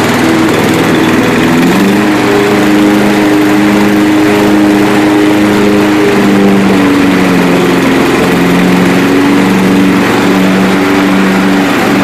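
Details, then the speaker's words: 1992 Yard King lawn tractor after about seven years sitting, Seafoam added: single-cylinder idle hunting up and down every couple of seconds; surging idle, owner suspects out-of-tune carburetor, cold weather or valves needing adjustment. "I mean it's been sitting for seven years so I'm sure the carburetors been you know out of tune so I'm gonna have to do that anyway"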